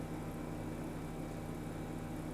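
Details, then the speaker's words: 2010 BMW 535i E61 wagon, auction car: after codes are erased, the air suspension compressor gives a steady low hum with no rattle or strain as the car lifts; compressor working normally. "I just erased the codes and I hear the compressor kicking on it's raising it's kind of raising it's doing stuff guys it's trying to oh no it's it's moving"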